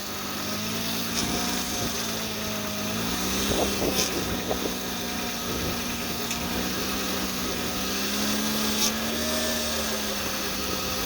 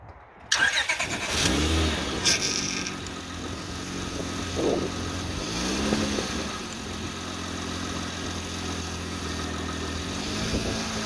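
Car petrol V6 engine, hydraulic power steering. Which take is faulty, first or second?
first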